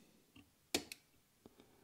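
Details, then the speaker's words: Sparked Innovations "Ohmie" series-to-parallel subwoofer switch box (120A relays, 8GA wiring): two pairs of crisp relay clicks, LEDs change to frosted white, and load drops to 0.8 ohm; normal relay switching. "hear the click see LEDs change color changed to a frosted white we hear the relays clicking and we drop to 0.8 suite"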